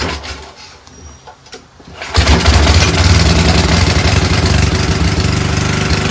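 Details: Free 5000 W PowerBack generator with a Tecumseh engine, fitted with new fuel filter, lines and an undersized 5 hp replacement carburetor, started on middle choke without starting spray: it catches after about two seconds and runs steady and even with no surging. Normal running.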